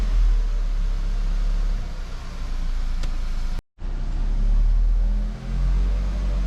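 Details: VW Golf Mk5, 50,000 km, after cable-tying the loose fuel hoses inside the frame that rattled after a fuel filter change: the engine revs up smoothly with a steady low rumble and no rattle or tapping.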